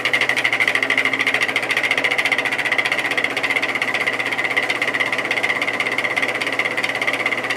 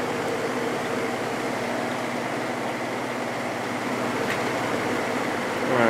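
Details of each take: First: Vintage GE 3-speed reversible window fan (F11W3, 2.5 A) on high: a rapid, regular pulsing buzz over a steady hum; the bearing seems fine, with a long spin-down. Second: Vintage GE 3-speed reversible window fan (F11W3) after gluing its loose rotor and letting it cure over 24 hours, on high then medium: a smooth, steady whir with no rattle; it runs quietly.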